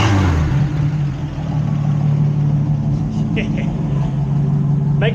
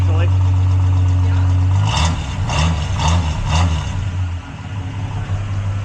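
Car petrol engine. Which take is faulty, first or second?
first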